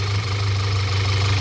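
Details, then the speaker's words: 2014 Audi A4 2.0 turbo petrol idling with a heavy low drone, shaking and audible air sucking; the PCV valve is stuck open, a vacuum leak causing a lean condition (P0171) and misfire; the valve needs replacing. "above it's stuck open so that's the whole issue right there we have to replace this ball that's causing the system to lean as you can hear that's causing the whole problem and also you can hear right away sucking air"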